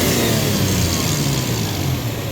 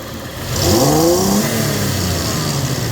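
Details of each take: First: Toyota Tacoma 3.4 with code P0171 lean and lack of power at high speed: a strong, free wide-open-throttle rev with no restriction heard, while the mass airflow meter signal reaches 4.2 V. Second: Toyota Tacoma 3.4 with code P0171 system too lean, lacking power at high speed: at wide open throttle revs climb but sound flat and choked; mass airflow signal peaks only 3.2-3.4 V instead of 4+ V, so a dirty MAF is suspected.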